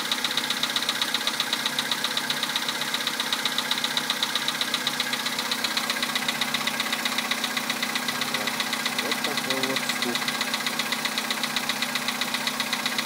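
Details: 2011 VW Polo sedan, 64,000 km, 98 petrol, +2°C: sharp, regular ticking knock about four a second over a smooth cold-start idle, cause not identified.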